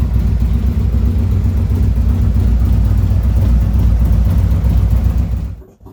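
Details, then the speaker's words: 2017 Harley-Davidson Ultra Limited 107 with a new Thundermax ECM running a map built for a 114, during the initial idle tune: a deep loping V-twin idle smoothing out as it warms, AFRs on target, then shutdown; normal warm-up idle. "Starting to smooth out really well now. Everything's right in target, right where we want it to be."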